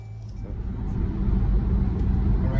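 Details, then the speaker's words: 2011 Jeep Grand Cherokee on a lift after driveline replacement for a clunk while driving: smooth, even low rumble building with speed, no clunk, shudder or vibration; normal driveline. "okay so we pretty much did exactly what we did earlier we don't be kidded knowing now we did it again after the repairs and the noise is gone"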